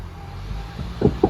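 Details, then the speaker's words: Grinding when shifting into park at idle: two rough grinding bursts; car has no park, no reverse, no forward gears, loud noise in reverse; broken CV axle. "Alright, you heard that grinding noise going back to park."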